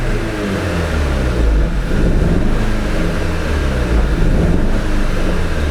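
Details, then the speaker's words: Audi TT 2.0 TFSI, Stage 1 remap, on diagnostic tool: low uneven idle with a lumpy stumbling beat as one cylinder drops out; no code stored and no warning light yet, a misfire with cause not yet found. "J'ai pas de voyant, mais on sent très bien qu'il manque un cylindre."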